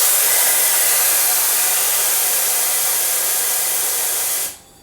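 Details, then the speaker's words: Salvaged DeVilbiss iFill oxygen pressure booster on shop air: even four-and-a-half-second rush of air as the piston strokes from position 2 back to position 1, stopping sharply; high-pressure side at 50 bar, a normal cycle. "And we do that again. We are on 50 bar. Position 2 and back to position 1, that's this direction."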